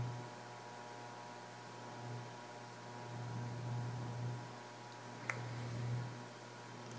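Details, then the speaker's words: Casablanca Genesis Gallery ceiling fan with spinner motor, running on high speed: soft, steady low hum with faint air movement and no ticks or rattles, moving a lot of air; normal quiet running (medium speed was loud, light possibly vibrating). "now high and as you can see on high it's quiet"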